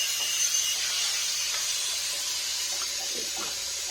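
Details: Livpure water purifier after a UV lamp (bulb-type) replacement that fixed a beep issue: even hiss of water flowing with no beeping or pump strain; dispensing normally.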